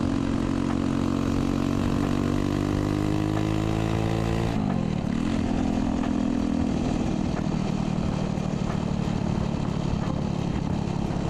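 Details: Chopper with a new 125cc 4-speed engine, exhaust cut short into a straight pipe to clear the kick start: loud, raw, open bark rising and falling steadily with throttle.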